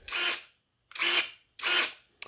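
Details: Anbull cordless electric pruning shears (500W brushless motor, 21V 2000mAh battery), just switched on with two presses: three short, even high-pitched whirs of about half a second each with clean stops, normal motor and blade cycling.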